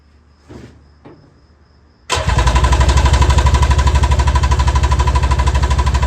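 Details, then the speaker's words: Mini jet boat two-stroke, first start on reserve fuel: brief cranking, then it catches hard and holds a loud, fast, steady beat, revving too high with lots of smoke; cause unclear, it did not seize. "That sounded like he was trying to run away. Would you agree? Wow, that's a lot of smoke, too. H I don't really like how high that was revving."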